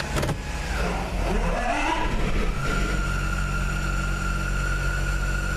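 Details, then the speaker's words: Jeep with NAG1 (722.6) automatic at idle, heard from the driver's seat: steady high-pitched whine when shifted into drive or reverse; cause found on teardown was a stripped pump stator where it fits into the torque converter. "I'm sure you can hear that little high-pitched whining noise. Now I'm going to go into drive."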